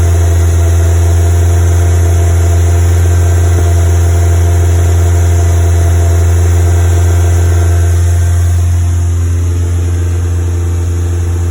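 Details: Westfield FW petrol engine at fast idle: a low uneven pulsing drone from a misfire causing high CO emissions, still present after fitting new leads.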